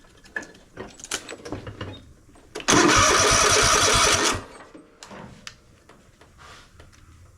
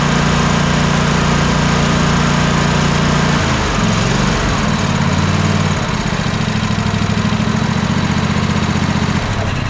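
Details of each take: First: Troy-Bilt Mustang RZT zero-turn mower, with kill wire disconnected: starter spins the engine under two seconds with an even whirr but it never fires; no spark, ignition coil diagnosed bad. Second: Troy-Bilt zero-turn mower twin-cylinder engine after replacing bad ignition coil: smooth, even drone with steady beat and no misses, then clean wind-down at shutoff; both cylinders now firing.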